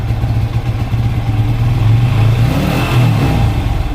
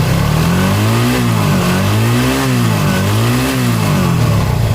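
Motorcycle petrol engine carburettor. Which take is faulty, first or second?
first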